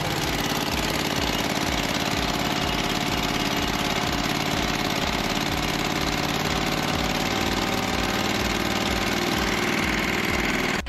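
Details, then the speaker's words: Grasshopper zero-turn with a rebuilt Kohler CH25S twin-cylinder engine, plugs gapped at 0.030 in, first start after the rebuild and warming up with no leaks: a steady, even beat at constant speed with no knocks, misses or rattles. Normal running. "see it's starting to heat up nice sounds really strong"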